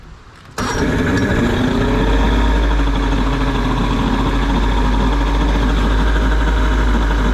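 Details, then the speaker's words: Johnson 60 hp two-stroke outboard after starter replacement, run briefly without water flow: cranks and catches within a second, then steady even idle with no stumbling; normal idle. "reliable it's idling with no water need water flow is possible"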